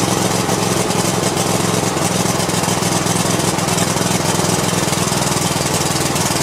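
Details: Cub Cadet i1050 zero-turn with Kohler engine, abandoned outside for years, after new push rods, switches and fresh treated fuel: steady even single-cylinder beat, no misses or knocks; running normally.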